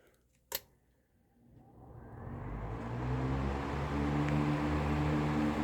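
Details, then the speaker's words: National (Matsushita) Panacool F-30AM 12" desk fan, early 1970s: soft click at switch-on, then low hum and airy whoosh swelling smoothly as it spins up; slight startup sound, healthy. "okay I don't know if you heard anything there but it definitely had a little bit of a startup sound"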